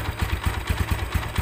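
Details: Tiger Evo motorcycle at idle around 1000 rpm, very harsh running that gets louder with the clutch pulled: a rough, lumpy idle with a coarse low rattle on every beat; clutch housing rattle.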